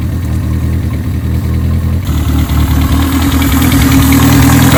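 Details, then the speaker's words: 1987 Toyota Corolla FX (AE82) 1.6 L four-cylinder, sitting since 1999, with dirty oil and needing coolant: an uneven, lumpy idle with an irregular low putter that hunts slightly, even with most vacuum lines plugged. Rough idle from a vacuum leak. "Vacuum leak still. We plugged about everything off."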